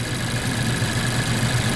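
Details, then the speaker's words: 2014 Mazda CX-5 2.0L, about 140,000 miles, running very rough from start-up with no codes: an uneven, lumpy idle that shakes more with cylinder 1's coil unplugged; dead misfire on cylinder 2. "oh so I definitely got more shaking with that one"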